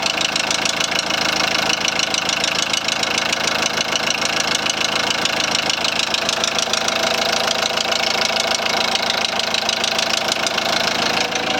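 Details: 2001 VW Transporter T4 1.9 TD diesel idling with a sharp, rapid metallic knock riding steadily over the idle. A head fault was first suspected; teardown found big-end bearing surfaces almost gone on clean journals: rod knock.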